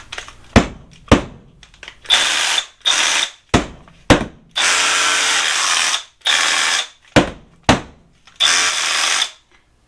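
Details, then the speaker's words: Milwaukee M12 Fuel SDS hammer drill: short bursts of fast, hard hammer blows between trigger pulls, the correct hammer sound. The drill keeps shifting out of hammer mode, blamed on too much or the wrong grease and tight factory tolerances. "you can hear the difference in the hammer drill versus whatever noise that is listen again this is what it should sound like"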